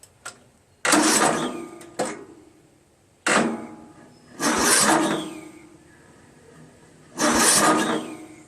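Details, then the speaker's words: Craftsman LT1000 16 hp lawn tractor on choke, spark confirmed, WD-40 on the throttle: short sluggish cranking bursts that drag and stop without catching. It turns fine with the plug out, so a weak or burnt-out starter is suspected. "I want to say that maybe the starter is not strong enough. Same problem that I had with the other engine where, you know, the starter may be kind of burnt out and doesn't, you know, generate enough electricity to turn it,"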